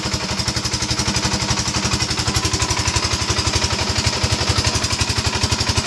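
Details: 5hp single-cylinder diesel engine: steady, even thump about three beats a second, no knock or rattle; running smoothly.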